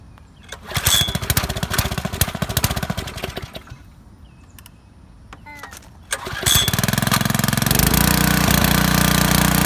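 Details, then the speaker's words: Pressure washer small engine, given used after long sitting (carburetor suspected to need cleaning), choke on, oil checked, run briefly without water: a few cord pulls, then it catches and runs at a smooth, even, fast beat; normal start and run. "but I just wanted to start the engine up just to see how it ran seems to run fine"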